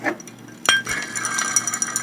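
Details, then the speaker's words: 1999 Ford Expedition 5.4L Triton V8: removed tensioner pulley spun by hand gives loose metallic clinking with its bearings missing; it had thrown a new belt and worn a mark on the replacement within a day. "but we got bearings missing in here our tensioner pulley aha wore out"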